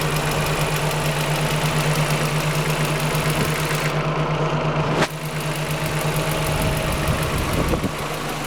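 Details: Fifth-generation Honda Prelude at idle: a light, somewhat uneven tapping at about three per second over a steady hum. Owner strongly suspects bent valves, but the cause is not confirmed.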